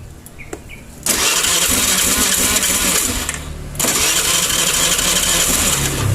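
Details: Honda Vario scooter that had stalled and would not start, kickstarted for a spark plug check: engine catches, runs rough and uneven, sags nearly to dying and picks back up; the plug is fouled black and the engine dies when revs drop.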